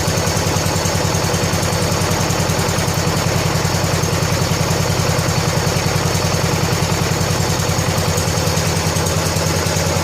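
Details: 1970 John Deere H3 garden tractor engine after head gasket replacement, old oil, cold evening about 47–48°F, idle turned up: steady, even putter about three and a half beats a second, no misses or knocks; idles cleanly.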